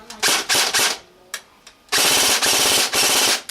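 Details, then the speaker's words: G&G AK-47 airsoft with home-built MOSFET on a 2000 mAh 7.4 V LiPo, semi-automatic setting: crisp, evenly spaced cycles in quick groups with no drag, whine or hesitation. Sounds nearly identical to the NiMH battery; gearbox cycling cleanly. "So they're pretty much identical. So, you know, with a little Mosfet, it's kind of give it a set power straight across. Doesn't matter what I use."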